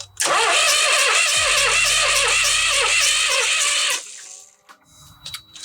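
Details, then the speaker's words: 1998 Dennis Dart bus diesel after engine work, fuel on, cranked on starter for testing: steady whir with strong, even compression pulses for about four seconds, never fires; cranks but no start. "Fuel is actually switched on. We do have fuel. [Music] Sounds like we have quite a big compression."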